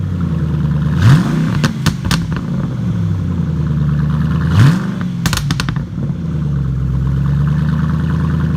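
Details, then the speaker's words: 1974 MGB during restoration, cold start after valve adjustment: engine blipped twice, revs rise and fall cleanly then settle to an even idle; sounds good, though a rod issue still awaits repair. "sounds good"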